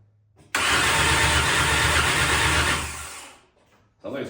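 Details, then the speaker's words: MK1 VW Rabbit with swapped 2.5L 5-cylinder 07K engine, cranking before spark is sorted: strong, even rapid pulse for about three seconds, no catch; compression sounds good and consistent. "got compression. So, yeah, it sounds pretty solid. I really like that. Sounds like a motorcycle."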